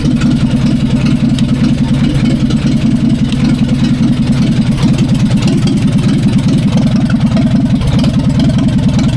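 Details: 1945/46 Allis Chalmers Model B tractor, magneto ignition, first run after about 20 years parked in a barn, cylinders oiled before starting: steady, even low chugging at fast idle with no knocks or misses, running sweet.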